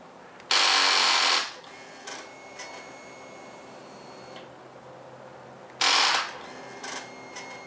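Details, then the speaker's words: 2009 Kawasaki Versys motorcycle in neutral, fuel pump primes, then pressing start gives two bursts of fast buzzy chattering, about a second each, and the engine never turns over; rapid clicking, no start, cause unknown. "I'm getting this when I start my bike you can see it's in neutral fuel pump does its thing I go to start"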